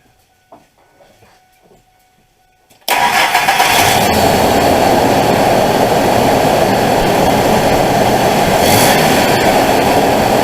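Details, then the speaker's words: 2000 Ford F150 4.2 V6 after replacing a bad idler pulley, first suspected to be the alternator: it fires quickly and holds a steady, even idle, and the front-end knocking noise is gone. "so hopefully you can hear that tell that it's quiet now"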